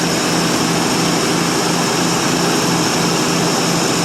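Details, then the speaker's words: 1952 Ford Customline 239 cubic inch flathead V8, about 138,000 miles, glass-pack exhaust, just cold started: even, smooth idle with a soft steady rumble and no knocks or misses, about 40 psi oil pressure; running nicely. "Well, they just run so nice."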